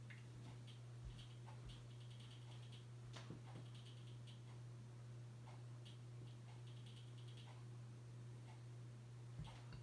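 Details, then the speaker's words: Hampton Bay Landmark III Plus 42-inch ceiling fan, installed around 2011, on low speed: steady low electrical hum; motor buzzes, getting louder on medium and high. "here's low probably you're the buzzing noise it makes but gets even worse on a medium and high high is its loudest speed"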